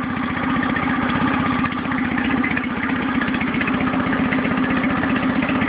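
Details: Nissan 9.8 outboard, first start, idling with choke fully in: choppy, uneven putter wandering and stumbling, shaking badly; smoother with a little choke or gas; owner suspects break-in or adjustment needed.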